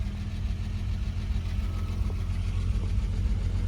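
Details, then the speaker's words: Renault Alpine GTA Turbo, warmed up with oil pressure showing, after an injector was given 12 V to cure a misfire: low, smooth, even idle with no stumble. Normal idle before a test drive. "It fires up very nice. It's idling very nice."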